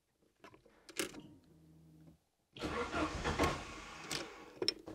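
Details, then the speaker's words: Saab 900 Turbo Commander started from cabin key after ignition barrel repair, replacing remote starter: brief even cranking whirr, pause, clean catch; normal crank and start. "that's perfect so now it's possible to actually start the Saab 900 turbo from within the car and not in the engine bay"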